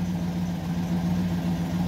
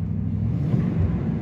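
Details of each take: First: GMC Yukon (low oil pressure case), warm idle after a new oil pressure sensor. About 1 psi at idle brings a rough lifter and valvetrain clatter that quiets as rpm rises. Not the sensor or pump; the mechanic suspects a worn, poorly maintained engine. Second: First startup after installing a new sensor and reassembling: engine catches and holds a steady low rumble, picking up smoothly with throttle; the accelerator pedal now works and the engine runs normally.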